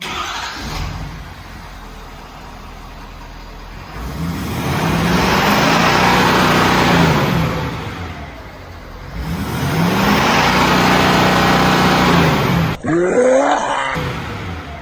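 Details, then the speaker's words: 2017 Ford F-350 6.7 Powerstroke diesel, 630,000 km (391,000+ miles), never modified, revved on stock non-deleted exhaust before delete and tuning; two smooth, muted rev swells, quiet and car-like, sad-sounding but healthy. "That sounded so sad and depressing. It did. Yeah, it was like a car."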